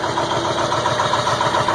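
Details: Cold start at about 34°F on a 2002 Ford F350 7.3 Powerstroke diesel, glow plugs warmed 2–3 minutes; it caught after about 8.5 minutes of hard starting with heavy white smoke. Uneven, lumpy rough idle with irregular pulse and steady hiss; cause unknown.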